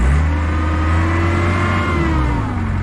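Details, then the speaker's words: Diesel machine bought at auction, revved after a battery disconnect cleared flashing park brake and seat belt lights: clean turbo whistle rising and falling with engine speed, no rattle or squeal; turbo sounds healthy. "a little bit more right there beautiful I hear the turbo it sounds good"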